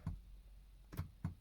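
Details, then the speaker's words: VW Eos with a faulty convertible roof, passenger-side window in the up position while pulling the roof-close switch: three sharp, dull, irregular clicks over about a second in a quiet cabin instead of the window lowering for the roof; driver side silent, cause unconfirmed. "it's closed right now when i pull when i pull here you could hear the click click because it's in the up position"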